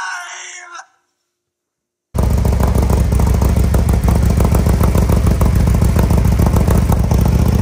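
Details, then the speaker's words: 2020 Harley-Davidson Road Glide Special with fresh 128" big bore kit, first start after oil priming, before dyno tune: catches after a pause into a deep, loping, even idle around 200 beats a minute, some smoke; normal idle. "hey it's smoking wow yeah it definitely has a deeper sound oh yeah but obviously it's going to sound totally different once you tune it right"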